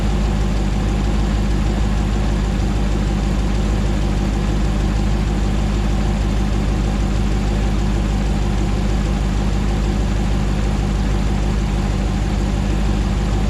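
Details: 2009 Hemi 1500 TRX4 auction truck, first start after months of rebuilding: smooth, even low rumble at settled idle, no stumbles, knocks or hunting while warming up, no longer jerking around like before; normal idle.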